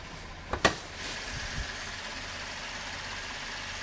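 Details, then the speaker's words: 2012–2016 Chevrolet Impala 3.6 LFX, about three months after intake valve carbon cleaning and DI injector replacement for a misfire, catch can fitted: after a brief clunk, smooth even idle with light hiss, no misses; normal idle. "You can hear it now. Smooth as butter."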